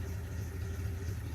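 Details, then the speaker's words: International truck, unseen by its owner for a year, started: deep, steady idle rumble with an even beat and no knocks or misses, very little engine noise; water pump possibly slightly crunchy; normal idle. "But listen to that thing just idle like a sewing machine, man. It's outstanding. Very, very little engine noise, especially for an international."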